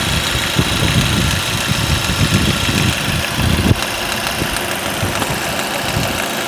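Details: Ford Focus 2, 1.8 petrol 125 hp, 95,000 km, idling while parked: rough idle with uneven dull knocks; knock sometimes disappears but returns and grows at idle; removing the A/C belt (suspected faulty A/C clutch) helped only 100 km, source unknown.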